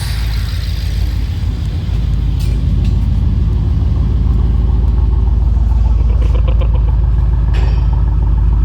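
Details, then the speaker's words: 2012 BMW 750Li 4.4 twin-turbo, first start after the oil pump chain was tightened with washers to fix low oil pressure: deep, smooth, steady idle with even firing and no tapping. The annoying noise is gone. "noise [Music] and these guys this is how you fix the annoying sound on this 2012 bmw 750 li"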